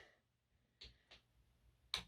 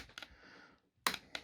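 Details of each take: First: Peco point motor number three on a model railway after re-wiring: several sharp, uneven solenoid snaps, some weak and doubled, as it fails to fire and throw properly. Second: Peco model railway point motor on point three, after fixing a bad wiring connection and motor positioning: two crisp sharp clacks about a second apart, each a clean single snap. Throws properly.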